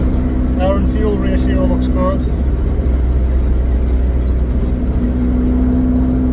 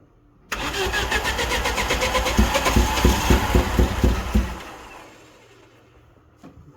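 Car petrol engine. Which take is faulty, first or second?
second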